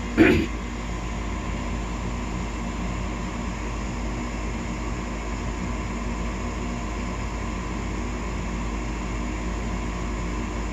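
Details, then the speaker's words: Newly installed furnace after igniter fitted; short ignition thump then steady low rumble and airflow hum, heating up, no knocks or squeals, running normally. "Well, we're heating up. That's a good sign."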